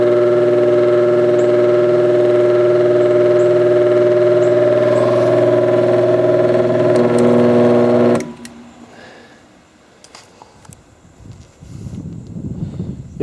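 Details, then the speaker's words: Recently bought vintage apparently single-speed oscillating fan, oscillator parts missing, first run by its owner, with an erratic switch: a loud humming drone with a quick regular tick about four per second until switched off; noisy, thought high-mileage, cause unclear. "that's prettyy noisy I don't know that have a lot of lot of miles on it"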